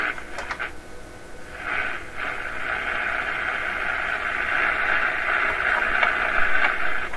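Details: General Electric C600 AM radio after replacing the power supply filter capacitors: station audio comes through clean with no steady low hum underneath.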